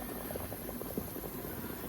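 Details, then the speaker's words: Ford 6.0 Power Stroke diesel priming fuel after a stud job: quiet, irregular gurgling and bubbling as air is pushed back out of the fuel lines ahead of the injectors. "oh you could hear that air coming back through it there's a little air in it"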